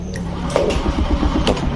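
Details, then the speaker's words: Honda Scoopy that was totally dead, cranked after fitting a good battery: starter spins with uneven chuffing but the engine never catches; cranks without starting. "starter bisa tapi dia tidak nyantol tidak mau hidup tuh"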